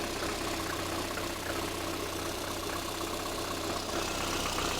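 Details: Lada Kalina with a cold engine at idle, checked for an air lock in the cooling system (coolant not yet circulating); fuel pressure measured normal at about 3.8: even, steady hum with no knocks or rattles; normal idle.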